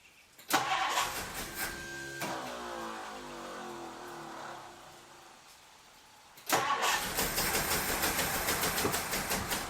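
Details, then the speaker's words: 1962 Ford Thunderbird Landau, sat several years: starter cranks steadily, engine coughs as if wanting to fire but never catches, starter not staying engaged; no start from fuel starvation, failed mechanical fuel pump. "So now for my next party trick, I'm going to take the fuel line off the carburetor and see if it's actually pumping gas."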